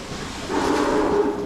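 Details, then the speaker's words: Disinfect pump on a classic robot run from the menu: brief steady mid-pitched hum with rising hiss, but nothing sprays, only dripping; chlorine dosatron had plugged with buildup, O-ring possibly bad. "It's not spraying anything. Interesting, but you can see it's dripping."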